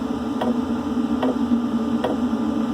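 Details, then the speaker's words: Webasto Airtop 2000 cabin heater on a Westerly Konsort sailboat, starting up cold: loud jet-like roar with the metering pump ticking about every 0.8 seconds, expected to quieten once warm; normal startup. "Yeah, so it sounds like a jet plane about to take off. But it does quieten down. Well, once it gets warmed up, it'll quieten down quite a bit."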